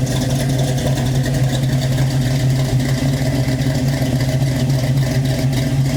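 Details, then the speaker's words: Chevy Nova, fuel injected, after lifter repair, first start since previous night: steady low drone with even firing and mild revving, no valvetrain ticking; healthy, only faint puffs from known exhaust leaks. "n it runs pretty good we fix the lifters and stuff like that that was wrong with it so let me I'll show you guys that in a second I'm going to start the car for you though so you get to hear it there's a few exhaust leaks so pay no attention to that"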